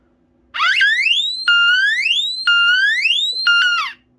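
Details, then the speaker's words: D2 smoke alarm, favorite in the collection: instead of its proper tone the horn gives rising, swooping whoops about once a second; the wrong sound is blamed on a weak battery and fixed by changing it. "all right then it changed pitch what is it is it evolving maybe that's because of the battery"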